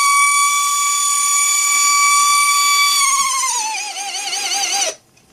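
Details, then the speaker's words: Mercedes 600SL throttle body motor giving a piercing high-pitched whine that falls and wavers as its supply voltage is lowered to vary speed, then stops; noise goes away at lower speed, high RPM usually doesn't produce it, electronics cleaner applied. "changing the speed I'm changing the voltage so you hear the pitch changes that was the high pitch noise"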